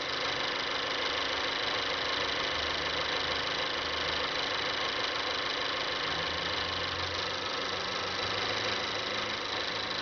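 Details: 2012 Mazda3 GS Skyactiv 2.0 L gasoline direct-injection engine, 16,000 km, at idle: fast, light, even ticking over a quiet idle; owner finds it annoying but the dealer mechanic said it is normal; cause uncertain.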